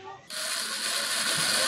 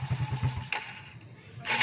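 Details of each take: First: Motorcycle starter jumpered directly; high steady whir with no engine turnover as the starter spins but the bendix fails to engage; customer complaint of starter spinning without turning the engine; starter clutch not engaging. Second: Motorcycle after Bendix starter clutch repair (starter had spun without engaging the engine): engine catches at once and settles into a quick, even putter with a few light blips; starts and idles normally.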